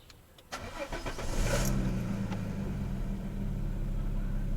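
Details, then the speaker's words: Peugeot 407 Coupé V6 (ES9 engine) after replacing failed ignition coil that caused one-cylinder misfire: starter whirrs briefly, engine catches into smooth even idle with no stumble; misfire gone, all six cylinders firing. "So yeah, the misfire is gone. You can hear? Man. Everything is gone now."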